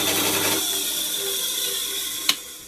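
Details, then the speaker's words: Drill spinning a Yamaha Thunderace cylinder head valve with a Brillo pad that wrapped wire around the chuck; high steady whine, early rattle fading, sharp click — running too fast, speed to be lowered. "so i need to come up with another way i think i need to lower the speed actually because you're a bit too fast right"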